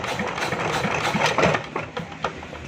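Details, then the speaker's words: China JD 8 hp diesel generator with starting problem, pulled over; short uneven chuffs but never catches, cranks but will not start. "ये स्टार्ट नहीं हो रहा।"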